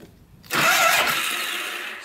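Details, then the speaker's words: Polaris Sportsman 500 4x4 ATV with a low battery, cranked on a jumper. A high whirring spin with no cranking beat; the starter freewheels without engaging, and the owner suspects too much friction at the clutch cover area. "see it just spins like that like the starter isn't engaging I think it's this thing causing"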